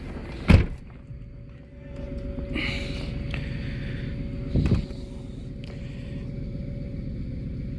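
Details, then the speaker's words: 2008 Ford Expedition (ex-police), idling after replacing the rack and pinion with one from a 2010 Lincoln Navigator and refilling fluids: steady whine from the power steering pump with steering clunks; air in system, bled by turning lock to lock. "that noise is the power steering pump down there so I added fluid I added a coolant I added oil so I'm letting it run and now to get out the air"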